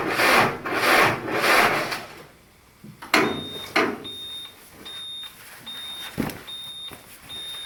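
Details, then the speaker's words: Cold-soaked diesel, glow plugs not used and heaters not yet run: three slow, labored cranking strokes, then it quits without firing, a cold no-start. "uh basically you heard it there this ain't going to start"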